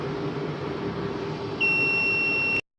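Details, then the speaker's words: UPS/inverter board with its overload variable set to 700 W, loaded with bulbs. A steady high-pitched buzzer sounds for about a second and it refuses to switch on, signalling the load is over the overload setting. UPS overload buzzer alarm. "ये देखें बजर आवाज़ आ रही है। इसका मतलब ये बता रहा है कि आपका लोड ओवरलोड है, इसको कम करें।"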